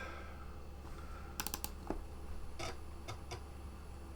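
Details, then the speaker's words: Compaq Armada 4120T laptop floppy drive after a drive belt replacement: steady motor hum with crisp head-stepping clicks, no scraping or the earlier wearing noise; it reads discs straight away, normal floppy drive operation. "well it sounds healthier let me just zoom in and yeah straight away that's reading discs so success"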